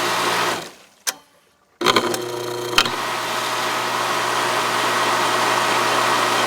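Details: Aqua-Flo XP2E replacement pump motor on Dynasty hot tub, side panel on, switched between speeds: rough steady rattling whir at constant speed; rear bearing spun loose in its housing.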